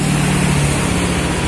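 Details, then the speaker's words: Honda Beat FI scooter after engine teardown for rough starter, idling: steady, even single-cylinder putter with no knocks or rattles; engine sounds smooth and healthy, normal idle. "Oke, suara mesinnya halus."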